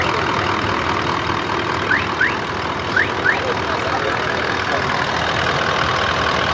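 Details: Toyota Land Cruiser engine: low, steady idle with even beat, no misses, knocks or rattles, bird chirps outside; sounds healthy.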